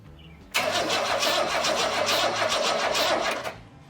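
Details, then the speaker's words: 1962 Ford Falcon inline six: starter cranks steadily at roughly three turns a second for about three seconds and the engine never fires. No spark, with the coil getting only about five volts from a voltage drop and dirty points. "I realized that I was getting a voltage drop going to the coil I was only getting like five volts going to"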